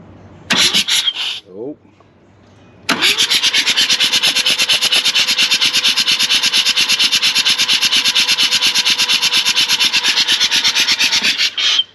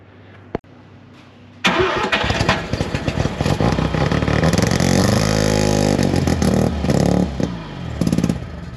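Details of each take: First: Mazda RX4 13B rotary ex-race car, long sat, cranked by a wire straight to the starter on a weak battery: slow, laboured cranking at about two even pulses a second. Compression pulses sound equal and healthy. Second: 1971 Mazda RX4 coupe race car, 13B rotary, long parked, points distributor, first start: fires after brief cranking then runs lumpy, uneven and surging; motor full of trans fluid and carb filled with E85; rough running.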